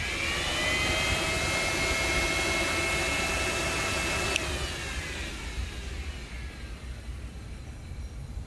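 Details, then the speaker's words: Yamaha 5VY R1 motorcycle cooling fans switched on via fan mod, momentary switch wired to blue side of fan connector: steady whirring whine with thin whistle, cuts off and spins down smoothly; normal cooling fan running. "That's going to be going into the blue side of the fan connector seen here, and we turn it on."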